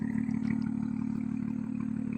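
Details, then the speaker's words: BMW M2 rebuilt from auction, first start, with M Performance exhaust: a steady, even idle with a deep exhaust burble and no knocks or misses; normal idle. "sound nice at idle and Performance Exhaust very nice"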